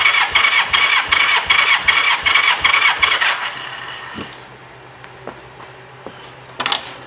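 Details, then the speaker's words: 1985 Honda Gold Wing GL1200 compression test with throttle held wide open and a helper battery connected: starter spins at an even beat, about 2.5 pulses a second; almost 140 psi read, close to the 140–150 spec, so the cylinder is healthy. "Looks like almost 140 on the nose, I think. I looked it up quickly. It seems like 140 to 150 is where you want to be on these bikes. I think that cylinder is healthy."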